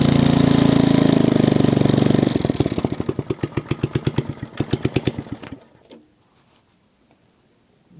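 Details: MTD 5hp rotor tiller running after about ten years idle, with new points, condenser and spark plug: harsh, very loud blatting that slows to about four thumps a second and dies; muffler rusted through, essentially straight-piped.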